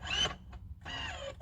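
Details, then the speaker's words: 2018 Cadillac Escalade ESV, third-row power-folding seats worked by hold-to-run buttons in the rear cargo area: short bursts of smooth, rising electric motor whine that stop when the button is released. Seat motor works properly. "Once they come fully back, give it a couple seconds and make sure you hear that final whine. That's kind of the seat locking into position."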